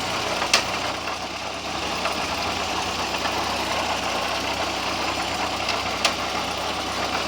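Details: VW Gol "bola" 1.0 engine idling steadily with fast, light ticking and a couple of sharp clacks; the noise began recently and the owner doesn't know what it is.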